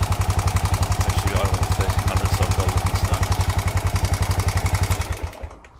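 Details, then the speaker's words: Honda XBR 500 after valve clearances reset, intake 0.10→0.15 mm and exhaust 0.12→0.19 mm. Idle lowered from 2000 to 1300 rpm, stalling fixed. Sharp ticking clatter on every beat; exhaust clearance too wide. "so standard was 19 for the exhaust no stad was 12 for the exhaust and i've now got switched to 19 which seems too noisy so i'm going to switch back to 15"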